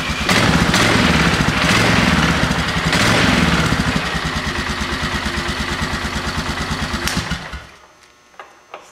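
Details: 2000 Polaris Sportsman 500 ATV after starter replacement: quick crank, then the single catches and settles into an even, steady putter around three beats a second; starts and runs normally.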